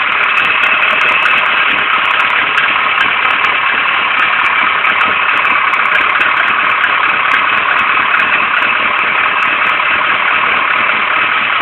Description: rough idle ka24de nissan 240sx silvia coupe